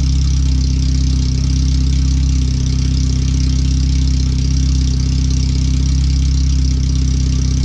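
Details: First startup after a new header and fuel filter, with relocated O2 sensors and a wideband added; header only, no exhaust fitted yet. Very loud, deep open-pipe idle pulsing about 2.5 times a second, even but harsh. The computer reads 5–7% rich.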